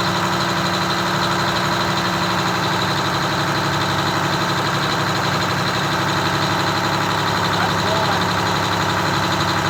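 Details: Detroit Diesel 6V92TA two-stroke in a Wanderlodge bus, idling before adjustment: busy, even clatter well above normal idle, guessed around 750 RPM. It was then set down to about 600 RPM (596.8).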